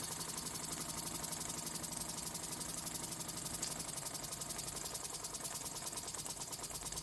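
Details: Vintage Mamod steam traction engine, stored 40-plus years, after cleanup: quick, light chuffing that stays steady with no knocks or hesitation; running smoothly.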